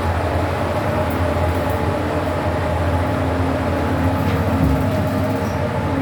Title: (Weird Strange Noises) Blk 410 Choa Chu Kang Avenue 3, Singapore - Fujitec Lift (Lift A)